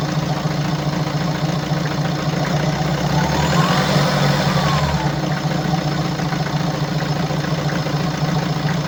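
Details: 2017 BMW 525d F10, N47D20D 2.0L diesel, 218 hp, 138,035 km, at idle; rough uneven clatter, three to four knocks a second over a low drone, caused by defective injectors and defective swirl flaps.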